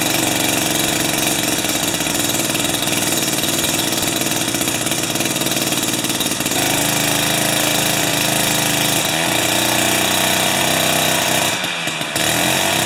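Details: Jiffy 30 3HP two-stroke ice auger on 30:1 fuel, after repositioning the carburetor diaphragm and priming: raspy high buzz at steady idle with a brief stumble near the end; runs cleanly, though it still backfires at full rpm.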